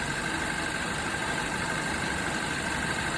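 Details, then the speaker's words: Hyundai Tucson at idle after AC compressor replacement: smooth, steady compressor hum as the condenser fan cuts in, high side pressure dropping and low side rising as the variable displacement compressor changes displacement. No knocking or grinding; normal. "I can hear the condenser fan cut in there. Watch the high side pressure should drop now, which it is. And the low side will come up. That was definitely the compressor actually uh changing its its uh displacement"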